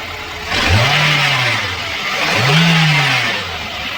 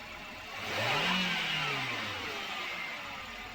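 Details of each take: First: Three quick revs rise and fall with a hissy rattling layer over the engine, consistent with a worn V-belt adjuster (belt tensioner), before replacement. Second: Engine after a V-belt adjuster replacement to cure a bad noise, started and accelerated: it picks up smoothly, revs rise and fall back to a steady idle with no chirp or rattle; normal running.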